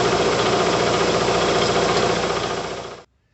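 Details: Bigger replacement shop air compressor, freshly assembled, filling the tank to just over 120 psi: even, rapid pumping beat of about 220 per minute, steady and smooth until the motor shuts off; healthy normal running.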